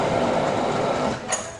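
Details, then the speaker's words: Honda Civic petrol engine running with a fast, light mechanical ticking from the belt area, knocking when AC engaged; stethoscope traced it to a worn alternator belt tensioner bearing, fixed by replacing it. "ninguém viu o auxílio de um estetoscópio conseguir diagnosticar com o barulho vinha do tensionador rolamento do da correia do alternador"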